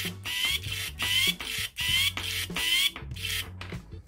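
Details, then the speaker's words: Shimano Di2 11-speed front derailleur servo, after repairing a whizzing unit that did not move the cage: short repeated bursts of high rising whir, about four shifts, a bit rough and loud. Gear teeth are slightly damaged but it works. "bit louder because obviously the teeth are slightly damaged but it works"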